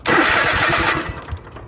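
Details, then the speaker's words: Craftsman YTH4500 riding mower after starter replacement: short, clean crank catching within a second into a quick firing burst, no grinding or clicking; sounds way better than the old starter. "So we got a new starter. We're going to go ahead and put that on. It's just 2 bolts there, and then of course the wire there. Alright, let's see how it sounds now. Oh, way better."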